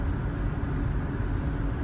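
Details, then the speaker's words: Ford rear axle (9.75-inch) at 85,000 miles, driving at about 50 mph with throttle going off and on: a steady low howl over road rumble that changes with throttle, from a worn-out ring and pinion. "off so we have we're on the drive side of the opinion on their the ring and pinion it's just worn out by now our 85,000 miles it's due"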